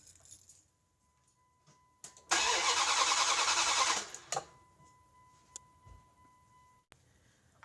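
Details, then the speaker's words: 1998 Dodge Durango 5.2L V8, crank/no start: steady cranking about two seconds with no firing; no spark, crank sensor signal confirmed, ignition coil diagnosed as bad. "So, at this point, everything checks out, and I'd have to go ahead and say it's the ignition coil that's bad."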